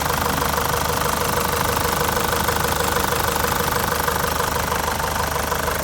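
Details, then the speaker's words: ZD30 Patrol diesel idling right after an oil change with fresh oil and an oil catch can fitted: steady, even diesel clatter near three beats a second with no knocks or misses. Oil light went out straight away; normal idle. "Not too bad. All light went out straight away. Doesn't sound too bad."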